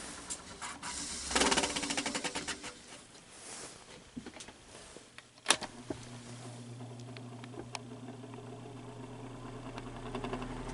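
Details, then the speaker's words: Fan motor running: light, uneven scraping rasp over the hum, seeming to come from the back of the motor; hub earlier rubbed and was shaved; owner suspects excess play at the back of the fan hub assembly, motor not yet opened. "And the sound under a little more thorough investigation sounds like it's coming from the back of the motor."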